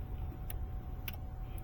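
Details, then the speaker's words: Car that would not start: jumping the two starter pins gives a few sharp single clicks, about four in two seconds, with no cranking; no battery drain, the starter motor itself is bad and was replaced. "You can hear the starter clicking when I jump it here. So, and it's not doing a drain. Now, this starter's bad on this one."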